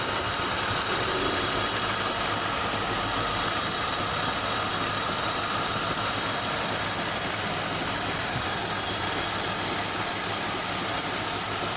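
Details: BMW M52TU engine at idle: dull, somewhat irregular rhythmic knock repeating about three times a second over a hissy background; cause unknown.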